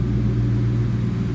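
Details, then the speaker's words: 1996 Ford Mustang GT convertible, SOHC V8, 149,312 miles: deep even low rumble with steady beat, no knocks or misses; healthy V8 at idle. "Nice sounding car. Let's listen. A little rumble coming out of that"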